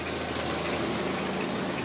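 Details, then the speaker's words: 2003 Toyota Corolla after replacing a bad fuel injector that caused a P0301 cylinder 1 misfire: even, steady idle with no stumbles or skipped beats; misfire counts all zero, running smoothly. "So far, so good. No misfire. I think it's already fixed. Look at, it sounds better, it runs better now."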